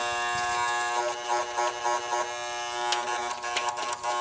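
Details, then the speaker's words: Air conditioning unit at annual service: continuous buzzy electrical hum with harsh edge; run capacitor measured about 32 µF against 35 rated, to be changed; component humming, cause suspected, not confirmed. "got a hum to it too."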